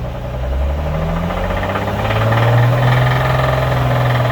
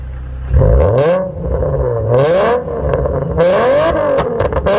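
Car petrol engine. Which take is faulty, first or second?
second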